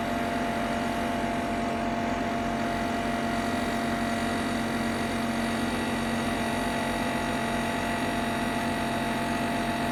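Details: Ninja Foodi 8-in-1 running cold in this recording (owner says the unbearable noise comes after warming up): constant electric hum with steady high tones and faint buzzing vibration; loud running noise, source not identified.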